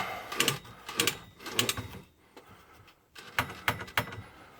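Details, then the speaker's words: UATV primary clutch after installing a modified clutch, rolled backward by hand once the belt is clamped: irregular bursts of light dry ratchet clicks as the one-way bearing freewheels in the right direction, normal. "as you back it up you can hear the one way clicking it's going the right direction"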